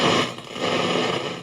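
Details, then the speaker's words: 1975 JVC 9407LS radio cassette player running on batteries: harsh crackle and static as the volume control is turned. The scratchy volume control will be cleaned with contact spray. "And there's in here, it's crackling. So I'm going to have to put some contact spray on that, on the switches."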